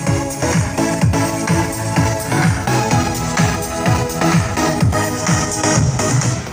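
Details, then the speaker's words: Mini active speaker after repair of fluctuating volume, loud humming and crackling noise, playing dance music loud and clean with steady beat, no crackle, hum or dropouts. "ini suara juga bisa dibesarkan sudah bisa dikecilkan ya jadi sudah stabil suaranya enggak rusak gitu Setelah diperbaiki Speakernya bisa normal"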